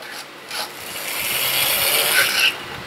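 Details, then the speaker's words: Used vintage 00 gauge model locomotive from an untested job lot: thin buzzy whir with light track rasp, swelling then easing off; runs smoothly as long as the conrods don't jam again; normal running. "But it does work, as long as them Conrods don't jam up again."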